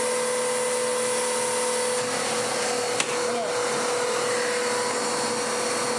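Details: Dirt Devil DD6114 Electrolux Contour clone, first run before restoration, with a possibly decade-old bag and a hot-belt smell. A steady motor whine with constant airflow rush and no surging; the airflow has improved greatly. Normal running.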